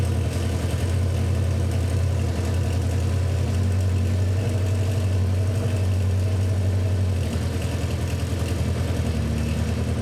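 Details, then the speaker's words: 1977 Honda CB400 Four barn find, rebuilt carbs and adjusted valves: idle right after starting with altered fast-idle (choke) settings; owner first unsure all cylinders fired, then all four are; low, even burble, no misses; suspects fast-idle cam lacks clearance. "I need to probably put it back not sure we're on all cylinders but now we are"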